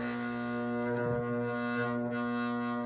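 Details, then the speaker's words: GE Vortalex fan: powered motor gives a loud steady electrical hum felt through the floor, struggling to turn with little torque until it eventually spins; intermittent hard start, cause unconfirmed. "But Okay, so I can actually feel it buzzing through the floor. And there's a tiny little bit of torque in there which will allow to spin. I'd say that buzzing is loud."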